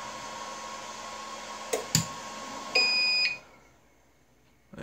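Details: APC XS 1300 UPS with new replacement battery: mains cut via power strip, steady hum, clicks, one high half-second beep, then hum dies at once; drops its load on battery, cause being troubleshot.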